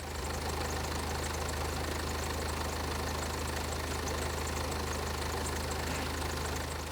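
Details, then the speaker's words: BMW M Sport Tourer with the N47 2.0-litre diesel idling: a fast, loose metallic clatter about four beats a second from the back of the engine. This follows water pump, idler and serpentine belt replacement; timing chain suspected, engine coming out. "There is a horrible rattle from the back of the engine."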